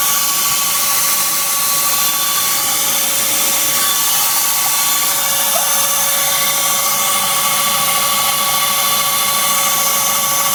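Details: BMW Z3 1.9 engine running, cold or warm: intermittent thin, steady high-pitched squeal; AC and fan belt tensioners, brake pads and rotors already replaced without change; source unknown.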